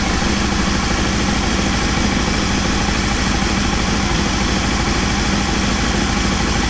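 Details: Aprilia Caponord V-twin during ECU setup and vacuum balancing: idles with an even, loping beat and steady pitch, no misses or stumbles; sounds healthy.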